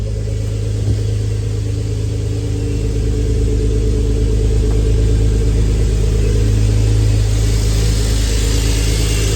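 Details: Turbo ZHP on second tune, just after cold start: deep steady idle, even low rumble, no misses, knocks or odd noises; normal smooth idle.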